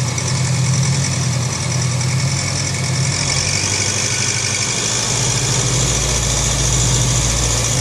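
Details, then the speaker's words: Honda CB500X twin at idle: busy rattly tap from the top end, heard through the breather opening; caused by a loose breather hose and loose bolt on top of the cylinder head. "por que que ela faz esse barulho aí parece como estivesse batendo a parte de cima e fazendo barulho da parte de cima é justamente porque todo o som do funcionamento do motor ele tá saindo pelo buraco do respiro aí"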